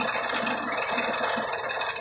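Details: 2006 Nissan in a no-start diagnosis with both oxygen sensors unplugged and stuck at 1.51 V: the idle wobbles and surges unevenly with a light rattle underneath and never settles; rough idle.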